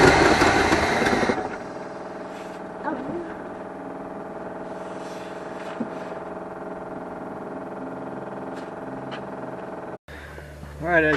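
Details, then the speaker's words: Long-sitting 1974 Avanti V8 revived after confirming spark and adding fuel: it catches with a loud burst, runs a thin, uneven idle for several seconds, then cuts out. It seems to fire on all eight cylinders but still needs work to idle. "you've seen I got the car to start up and run we're gonna see if we can get to run a little longer it didn't like that well we know it runs it seems to be running around all eight cylinders which is good"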